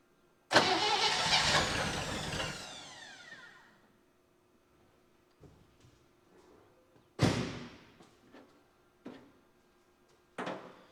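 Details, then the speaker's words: 1960 Chevy Brookwood wagon engine, sat 20+ years, with rebuilt carb and manual choke: catches, runs unevenly for a couple of seconds, dies with sputters; suspected fuel starvation from manual choke, fuel pump possibly not pumping. "I bet a lot of it is the choke is manual and I'm just starving it once it starts because I don't have a thing for it for"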